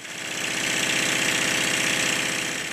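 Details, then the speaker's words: Stuart triple-expansion model steam engine after adjusting the eccentric for the high-pressure cylinder and then the low-pressure cylinder, running in at various steam pressures: quick, steady, even chuffing with no knocking. Normal running. "suddenly when the engine bursts into life it is running notice better the rest of the video features the engine running at different pressures it's running in quite nicely"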